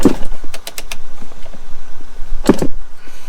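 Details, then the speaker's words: Yamaha YZ250 dirt bike on fresh petrol, fuel on and choke on: two kick-over strokes, each a sharp mechanical clatter, and it never catches. It kicks but won't start; the owner suspects the spark plug, fuel filter or electrics, and oil is seen leaking. "doesn't sound right that doesn't it's not starting"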